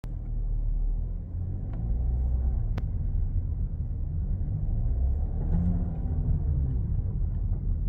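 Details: VW Touareg 7P driving with deep rumble and a few sharp, isolated knocks from the front suspension, caused by bad left front control arm needing replacement.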